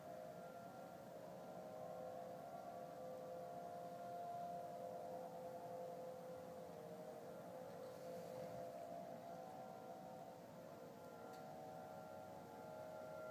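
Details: Unidentified sky noise recorded in Denver, Colorado, early November 2012, heard at the same time and weekday a month earlier: sustained wailing siren-like upper-midrange tone over ten seconds over faint hiss, ending with a powering-off sound; suspected man-made, cause unconfirmed.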